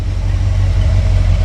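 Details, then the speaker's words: V8 engine pulled from the truck Creampuff, just started on a test stand with exhaust fitted. Deep, even burble with a steady, unbroken beat and no tapping or stumbling; a smooth idle. "Idle's real nice and smooth with the factory cam, I guess."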